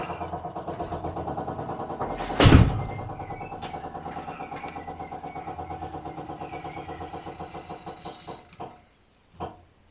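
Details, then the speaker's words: 1967 Jaguar Mark 2, fuel pump primed with ignition on after a fresh fuel filter: rapid even ticking slows as pressure builds and stops within about nine seconds, much sooner than before; normal priming, no leaks. "And that pump stopped promptly. Before it was running for much, much longer."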